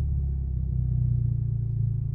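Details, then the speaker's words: VW Golf 6 GTI, warm after a drive with full-load runs, following a timing check, oil pump replacement and cam phaser control fix: smooth, even idle with no stumbles or rpm jumps, zero fault codes; normal. "Donc là, je suis revenu de ma petite vadrouille, donc tu vois, le régime moteur, il est magnifique. Il n'y a plus de saut, il n'y a plus rien."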